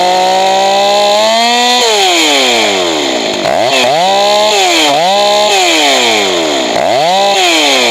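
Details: Johnson Red 670 chainsaw after a Tillotson two-stroke carburetor rebuild, adjusting the high-speed mixture. The screaming revs climb too high and thin, then sag and burble lower as the high-speed screw is richened. Lean high-speed mixture being corrected.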